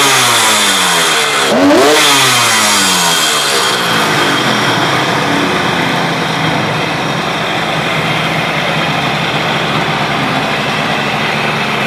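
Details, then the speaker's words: KH250 three-cylinder two-stroke motorcycle revived after 32 years in storage. Revs climb sharply and drop back to a calm, even idle with no misfire or hunting, which shows the three cylinders are balanced; normal idle after revving. "contoh misalkan pada saat kita gas dari nol begini teng teng nolnya kan tenang Nggih itu menunjukkan bahwa mesin tadi imbang"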